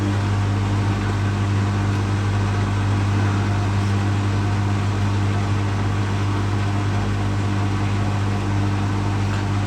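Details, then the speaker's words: Beko WMA641W washing machine motor running after new brushes were fitted, with the brushes bedding in and quietening down: steady, even hum with no grinding or crackle. Running well. "the brushes are quetting down a little bit as well but it's loving"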